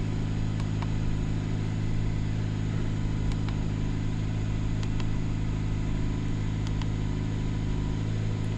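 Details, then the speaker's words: 2017 Jeep Cherokee Trailhawk, 89k miles, after alternator replacement for a charging failure: smooth even idle, steady low hum, no knocks, ticks or whine; charging at 14.4–14.5 V, normal. "Cool, I wanna start it up and listen for any odd noises. No odd noises."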